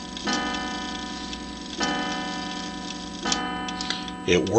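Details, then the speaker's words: 1907 Gilbert tambour clock, hand moved around by hand: three clear, evenly spaced bell strikes about 1.5 seconds apart after the half-hour ring, striking the hour; the strike train works normally. "It rings the half hour and then comes the main hour."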